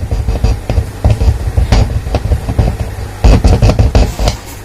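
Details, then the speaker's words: JMK amplifier after replacing tone control power supply capacitors (negative rail had dropped to about 16 V): music with punchy bass and drums plays cleanly, the previous hum completely gone. "Oke, bisa sahabat dengar di sini suaranya sudah tidak ada sama sekali."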